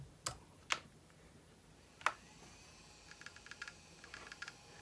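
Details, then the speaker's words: iBook Clamshell laptop with a dead hard drive: sharp, irregular clicks about a second apart, then faint ticking as it boots; failing hard drive clicking. "that's the sound of a bad hard drive"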